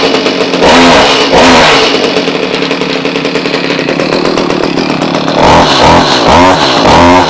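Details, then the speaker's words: Stihl HS45 hedge trimmer that wouldn't start, choke on: small two-stroke buzzes steadily, picks up cleanly on each throttle blip with no stumble; now runs properly, better than before, though another problem remains. "Oh, so far, that sounds better than we were having before."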